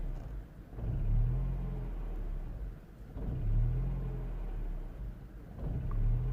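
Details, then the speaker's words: 2007 Mini One 1.4 petrol N12, engine light on, error 2982: idle rises and sags about every two and a half seconds, nearly stalling; throttle responds okay; hunting idle. "I think it's gonna stall at some point. Throttle responds okay, and is off."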